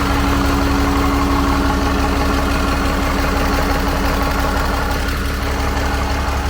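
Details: 12-valve Cummins converted to common rail, fired up with fuel pump running: loud, steady diesel clatter at an even idle, about three firing pulses a second, no misses or knocks; healthy idle.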